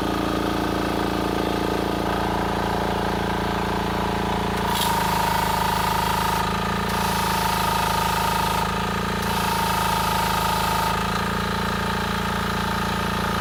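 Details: Yanmar diesel engine on a 3000 PSI highway pressure washer, started with the ignition key; steady, even drone with no knocks or misses: normal running.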